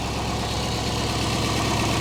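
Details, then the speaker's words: Late-1990s (about 1996) GMC/Chevy K3500 with straight-pipe exhaust, started after a lightning strike with burned fuel pump relay pin, running on stale gas: steady, loud open-pipe idle, no knock, some injector ticking; running normally. "but yeah I mean it's it's quiet doesn't knock it is straight pipe so it sounds good for running on stale gas I would say is pretty good"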